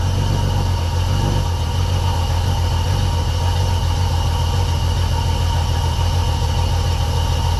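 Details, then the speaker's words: 1990 Jeep Comanche 4.0 inline-six after cylinder head swap, first start: steady, even low rumble with no knocks, ticks or misses; healthy idle. "It's running good. I'm going to keep running it."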